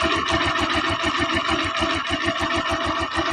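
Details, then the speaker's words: TMX Alpha small single-cylinder motorcycle, nearly new but with a ticking engine, idles right after valve clearance adjustment steadily at about three beats a second, even and quiet, with no valve tapping; normal idle. "Ayan o. Tahimik. Tahimik yung andar ng kanyang makina."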